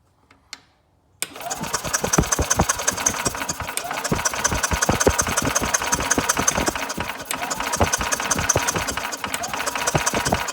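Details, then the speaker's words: Older Yamaha golf cart, sat a couple of years, cranking via pedal after key-switch fuse fix: fast rhythmic cranking around two to three pulses a second that never catches; spark appears only when the pedal is released, no-spark condition. "Let me hit the pedal now and see if it cranks. Oh, much better."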